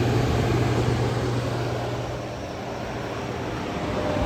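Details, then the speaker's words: 1959 Welbilt Wall-Slim 2-horsepower heat pump, sat 15 years, fan-only on low speed: a steady low hum with soft airy rush and plenty of airflow, no scraping or rattle; blower running evenly. "It's got the same noise as a space saver Philco. Decent amount of air flow >> A lot of air."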